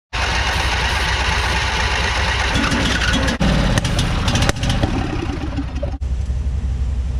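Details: Abandoned barn-find riding lawn mower revival: engine catches and runs roughly for a few seconds, then sharp pops and dropouts break the rhythm; backfiring, with something glowing orange seen inside, cause unclear.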